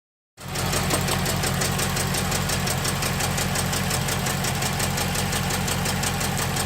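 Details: 6.1L SRT8 Hemi V8 with a random cylinder misfire. Uneven, loping idle with quick ticking around four per second; it idles and runs rough, and the cause is still unknown.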